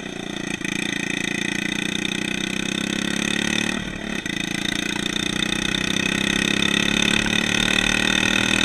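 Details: Yerf Dog 150cc shifter kart single-cylinder engine at idle on first test: burbling and stumbling unevenly, sputtering and popping instead of running clean; mixture too lean.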